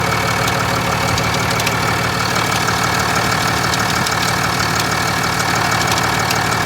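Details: 2021 Ram 2500 Cummins diesel at idle: light fairly regular tick about three a second over steady idle; cause unknown.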